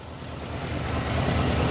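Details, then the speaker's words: 1973 Buick Centurion convertible, Oldsmobile 350 V8, crashed, jump-started after pumping the carburetor, cooling system compromised: deep, even burble settling without misses; normal idle. "the old carburetor life just needed the one two there she is they're running well"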